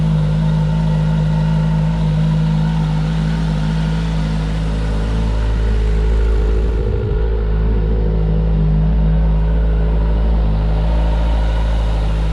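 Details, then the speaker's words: Wrecked 2011 Kawasaki ZG1400 police motorcycle, first start after rebuild and key-fob fix, in neutral with the clutch pulled: a smooth, steady low idle rumble with no knocks or stumbles. Nothing is leaking; the engine runs healthy. "there's nothing leaking healthy so excited yes have no idea"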